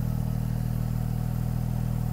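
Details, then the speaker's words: Porsche 911 Turbo Metzger engine, 146,000 miles, aftermarket intake, oil leaks, muffler found missing underneath: turbos audible, very loud deep drone with rapid even pulsing at idle; loud exhaust from missing muffler. "Sounds pretty good. I can hear the turbos. It sounds like an exhaust or missing an exhaust."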